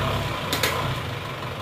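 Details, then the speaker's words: Diesel engine after rebuild with new timing gears: short revving burst with even, steady beat, no rattle or knock; engine now runs smooth. "tapi gak apa-apa yang penting suarnya sudah halus dan Oke lagi gas-gasan"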